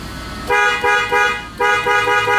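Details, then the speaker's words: 2001 Toyota Tundra after a new clock spring was fitted: loud, clear horn blasts in two quick groups, each tone firm and steady; the horn works normally again and the airbag light is off. "so I can hear the horn is working now the light are the the airbag light on a dash is off"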